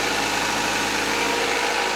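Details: CB7 Honda Accord just started after full timing system replacement, idling with coolant being bled: smooth, even idle with a steady hiss and no knocks, ticks or misses; engine running cleanly.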